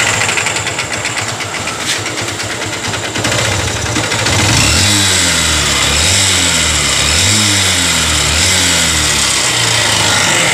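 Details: Honda CB Shine bike, sent in after another shop failed to fix it, before repair: fast metallic ticking over idle with throttle blips; abnormal internal engine noise, cause unclear, timing cover to be opened to check.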